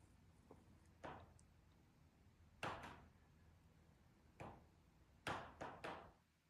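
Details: Steel-framed, riveted patio sunroom of a home for sale, in direct afternoon sun around 3:50 pm: sharp, irregular pops and cracks as the rivets expand and contract, occurring only when the sun is directly on it; thermal expansion popping.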